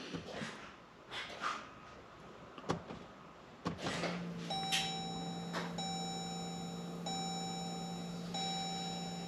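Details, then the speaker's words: 2015 Jeep Grand Cherokee EcoDiesel, 130,000 miles, key-on after fuel filter change, key cycled repeatedly to prime: clicks and a short clunk, then steady low electric hum with faint high whine; in-tank pump priming normally. "hopefully you can hear it run and then you can hear it click and it'll stop you won't hear a noise anymore so we'll do it [Music] again we'll do it one more"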